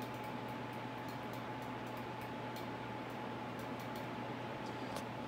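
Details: Ceiling fan in a home display running on its high speed setting: a soft, steady airy whir with a faint low hum and no ticks or wobble. It runs quiet and smooth, which is normal operation.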